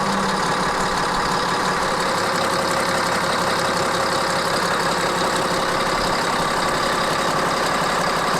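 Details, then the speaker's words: CAT 3306 diesel newly swapped into a 972G payloader, first start after install with some wiring still to sort: an even, steady idle rumble with no knocks, misses or hunting. It sounds good. "yeah it sounds good it sounds really good there we go"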